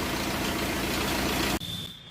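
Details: Hyundai Verna engine at idle: busy, rattly clatter over the running note, then it cuts off after about a second and a half; timing chain noise.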